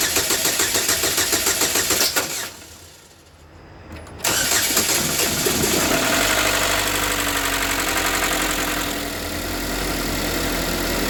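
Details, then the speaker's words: 2013 GMC Terrain, first start after engine rebuild following a broken timing chain that damaged the balance shaft: rhythmic cranking, one sharp backfire pop, short lull, then catches into an even, steady idle with no knock. "I'm going to get everything back together cuz that was the most important thing the first start up it sounds fine no knocking timing no check engine"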